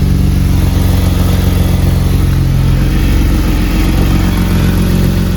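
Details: BMW E36 drift car revved after fitting new, slightly wider exhaust manifold gaskets: a fast, uneven puffing tick under the exhaust note; the exhaust manifold gasket is still leaking.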